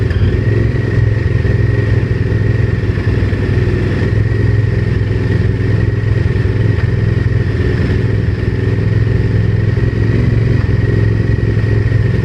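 Heavy low rumble with a constant clattery knock running through it and a few light revs; the knock's source is unknown.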